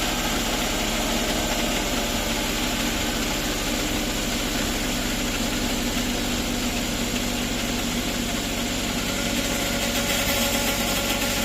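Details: Suzuki DA64 (K6A engine) automatic, idling after ATF and filter change: constant rough grinding rattle recorded from underneath, steady; sounds like something catching or a bad bearing. Cause suspected, not confirmed.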